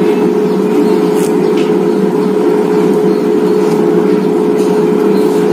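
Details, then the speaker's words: Mito digital air fryer blower running normally while heating: steady even whoosh with constant mid-pitched hum, no rubbing or rattle; blower keeps running about 10–20 seconds after the timer ends. "Nah, nanti tuh blowernya akan masih menyala sebentar gitu, sekitar 10-20 detikan kali ya."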